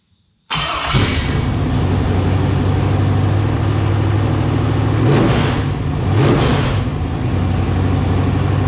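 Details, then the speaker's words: LQ4 6.0 V8 (about 1999–2000, iron heads), marketplace engine with bullet damage, run with temporary exhaust fitted; catches quickly, deep steady idle, throttle blips climb and fall cleanly with no knock or clatter; normal running. "I went a little too far on the throttle there you got it home but oh man that thing sounded great it's just very quiet up here"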